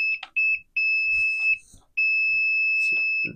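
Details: Tic Tracer non-contact voltage tester held near a control panel without touching gives sharp, high-pitched beeps in steady one-second bursts: oversensitive, false beeping.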